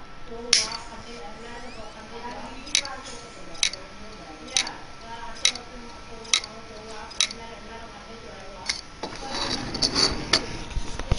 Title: Hitachi 40GB IDE Hard drive Click of death